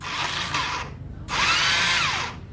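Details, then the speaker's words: Carbureted Xeon scooter after fitting a new starter relay: two bursts of high free-spinning starter motor whir, but the starter does not engage or crank the engine. "dinamo starternya berputar dengan lancar Ya tapi e mesin tidak diputarnya"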